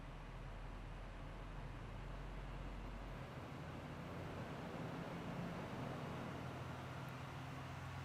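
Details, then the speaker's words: 2017–2019 Chevy/GMC 6.6L Duramax L5P diesel with Edge Pulsar module, warmed up: idle at about 650 rpm rises to a steady high idle of about 1000 rpm, set through the cruise control. "now it's sitting about a thousand rpms this is your high idle mode"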